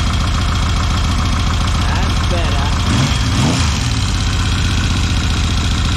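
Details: 1979 Yamaha XS750 rebuilt engine after new timing chain and corrected tensioner preload, plus carb, fuel and timing advance fixes: settles into a steady, even idle with a deep regular beat, no cam chain rattle or ticking; healthy.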